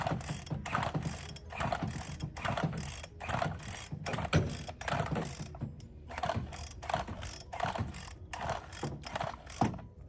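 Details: Bolens BL160 two-stroke weedeater with a new spark plug and fresh fuel: repeated ratcheting pull-cord strokes, roughly one per second, with no firing between pulls. Cranks but won't start.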